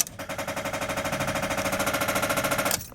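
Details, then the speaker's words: 2003 Fiat Doblo van won't crank: rapid machine-gun clicking/chattering from the starter motor on key turn, after a week of slow cranking and rough starts despite a recharged year-old battery; starter motor not at fault. "the clicking noise is actually coming from the starter motor by the way and that said it won't start"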